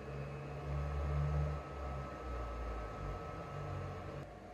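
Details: Used PS4 Pro, no disc inserted: steady loud whooshing roar with a thin whine on top, fan and some hard drive noise; suspected dust-clogged heatsink, opened for cleaning and new thermal paste.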